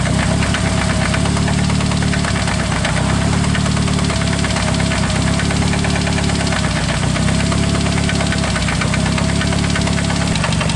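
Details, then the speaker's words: Engine idling with a hard, rapid, regular knock; pulling coils one by one, the knock changes when cylinder one is disabled, pinpointing a rod knock on cylinder number one. "see it changes right there cylinder number one is the issue here big time no time that's how you pinpoint exactly where your rod knock is at"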